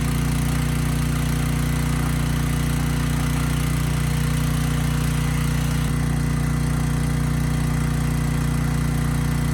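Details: Briggs & Stratton Storm Responder generator (model 030430-00, engine 21T212-0116-G1), previously stuck at TDC with fuel-flooded oil, final test after repair: steady low hum, no hunting or misses; speed raised to 61.5 Hz, loaded to 3000 W and holding 60 Hz.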